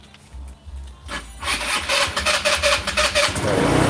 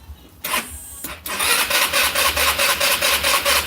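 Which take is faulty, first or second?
second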